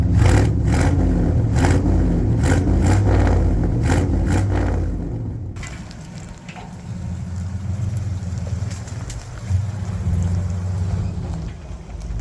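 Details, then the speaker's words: 1972 Ford F750 "Super Pickup" truck V8 idling after carburetor tune-up set for highest vacuum with hood shut and engine hot; low, even rumble, no miss, knock or hiss, much quieter now it fires and fuels correctly; normal idle. "one thing you'll notice here about this truck is it's got gotten a lot quieter and that's one sad thing about getting old school Vehicles tuned in pretty decent is actually when everything's really efficient and firing when it should and being fueled correctly um you know it quiets down as you can see here"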